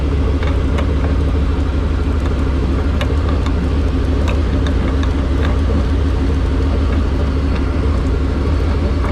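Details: Crawler in gear after the last day of Trail Hero 2020: a steady deep drivetrain drone with irregular ticks while the driveshaft visibly wobbles; the carrier bearing is going out, possibly from a wobbly front driveshaft or an untrue transfer case shaft.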